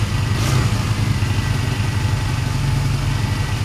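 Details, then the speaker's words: Honda Benley motorcycle single ticking over, timing and points not yet checked: soft, steady low putter without misses or knocks, sounding sweeter; easy start suggests timing not far out; normal idle. "But look, that's ticking over okay. It sounds absolutely sweeter. And because it started that easily, I don't think the timing's a million miles out."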